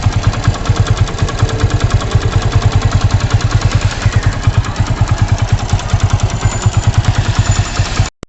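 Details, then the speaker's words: Motorcycle engine before servicing, with the owner also complaining of poor mileage: a steady idle with a hard, even knock about three times a second over the low exhaust beat; the cause was not yet found. "तो देखा कि आपने देखा कि engine में से कैसे cut की आवाज आ रही है"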